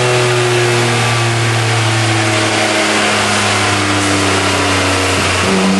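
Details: 1993 240SX convertible with an RB26DETT, stock twin turbos at 15 psi, on the dyno under load: the engine pulls hard, then stumbles and drops late in the run from a bad misfire, peaking at only 247 hp and 221 tq. Cause unknown.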